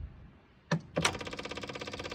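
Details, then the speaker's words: John Deere 1023E diesel tractor, engine off, after petrol was mistakenly added and then siphoned out: a couple of relay clacks, then quick steady ticking at about a dozen per second as the electric fuel pump primes. Normal, no leak. "Okay, it's priming. You can see that priming right on up."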